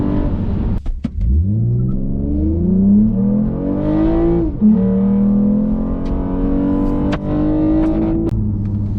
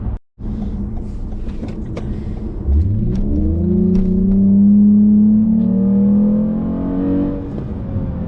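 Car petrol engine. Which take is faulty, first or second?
second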